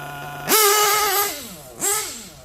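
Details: Novarossi Roma 25 nitro RC car engine, out of tune: high buzzing revs blip up and sag back unevenly, a two-stage idle; carburettor running lean on top and rich at the bottom, idle gap possibly too wide.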